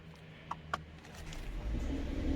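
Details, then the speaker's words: Mercedes-AMG GLE 53 Coupe 4Matic+ (W167) with EQ Boost: soft clicks, engine catches with no starter screech and settles straight into smooth even idle; EQ Boost eliminates starter whine, normal start. "Dia juga udah dari EQ Boost mesinnya. Bunyinya kayak gitu. Karena ini sudah EQ Boost, jadi kalau mesin dinyalakan decitannya sudah tidak ada."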